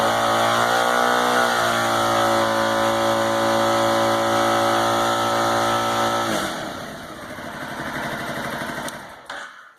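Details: 2009 Aprilia Shiver V-twin revving with an uneven, stumbling beat and ragged exhaust note; the front cylinder is misfiring.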